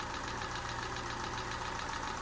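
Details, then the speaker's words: Peugeot 207 engine just restarted after a snapped timing belt, head gasket rebuild and new timing belt; light quick ticking over a steady idle, too much tapping, owner thinks it may need readjusting. Suspected tappets. "I think that's too much tapping isn't it but at least we've got a running engine again um it just sounds a bit tappy to to me that I think maybe that needs a readjusting"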